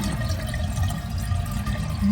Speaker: you can hear it running and if you notice the water level is dropping and that is because like i had mentioned in a previous video you have to be careful the excess chain can sometimes get hung up under the flapper which is what is happening here it seems so